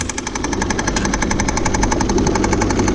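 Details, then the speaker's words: 2000 Saturn L300 3.0 V6 idling after a timing belt job: steady sharp knocking about four per second, thought to come from the third pulley; power steering pump pulley at fault, not the timing belt. "I said I didn't think it was a belt but we did the belt correctly you hear that noise that sounds like that's coming from the third pulley on that"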